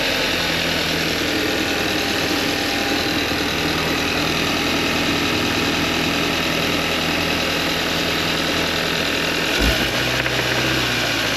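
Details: Hyundai idling after being towed in with only about half a quart to a quart of oil: deep rhythmic engine knock from oil starvation.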